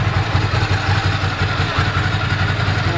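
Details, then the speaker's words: 1998 Ducati ST2, 10,596 miles, original exhaust reading about 73 dB at tick over after new clutch, fuel pump, HT leads, Brisk plugs: even V-twin idle, low steady thump roughly 170 beats a minute, little clutch rattle; smooth healthy idle. "dB level, decibel level there, showing about 73 on tick over, about right."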